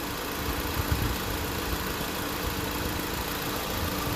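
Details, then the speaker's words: 2016 Honda Civic on R1234YF during a low-side recharge: steady idle with even compressor hum and fan whoosh, clutch spinning, no clatter or squeal; AC compressor and fan running normally. "So you can hear the compressors on, you can hear the fans are on, and the double check with the light here, the clutch is spinning."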